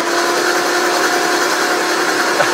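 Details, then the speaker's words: 1959 Aston Martin DB4 barn find, unstarted since about 1982, cranked on the starter with plugs out: steady, even whirring and big blows of air from the plug holes, no catching or binding; engine turns over freely and smoothly, not seized. "that is I'm getting big blows of air out of the ball holes oh suits me sir yeah that's that's quite smooth that's pretty impressive isn't it"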